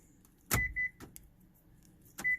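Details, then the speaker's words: 2007 Hyundai Veracruz after the key fob was programmed: two crisp lock clunks, each followed by quick chirps, with the actuators snapping firmly; power locks work normally. "So now make sure it locks and unlocks. Yep. Works like a champ."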